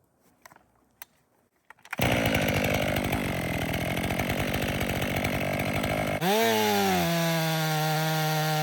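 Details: Stihl MS 500i chainsaw, 62 hours, still warm, purged, calibrating in frozen wood: quiet ticks then catches, steady strong note, clean throttle blips, no hiccups; runs properly.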